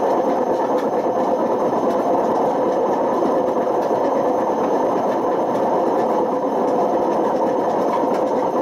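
Loud steady roar through the high spin with a coarse rumbling edge, typical of badly worn drum bearings.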